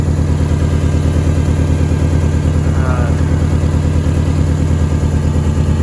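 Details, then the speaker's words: 2005 Subaru Impreza with a long crank, misfire and a disconnected PCV hose showing crankcase gases: steady idle with a strong low pulse and an occasional lope like a bad coil; relative compression testing shows low cylinder compression. "It does have a little lope every once in a while, like a bad coil, but I have a feeling that, you know, I'm gonna do an RC test."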